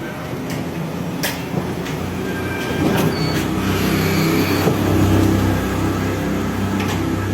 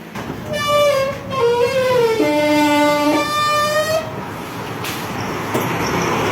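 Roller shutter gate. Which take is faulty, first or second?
second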